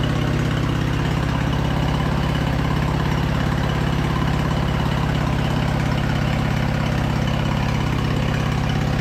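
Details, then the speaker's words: Craftsman LT2000 lawn tractor V-twin, sat about a year, gravity-fed fuel, choke about halfway, just above idle: steady even burble with no knocks or misses, running perfectly; carb clean still planned. "honestly that thing sounds great we'll definitely have to do a uh carb clean on this"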